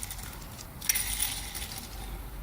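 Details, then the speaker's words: Yamaha Waverunner XL1200 jetski 2-stroke crankshaft, spun by hand after cleaning: light, even whir with no grinding or rumble; this is the only good main bearing, 5 of 6 need replacing. "That is the only good bearing. So 5 of the 6 crankshaft bearings need replacing."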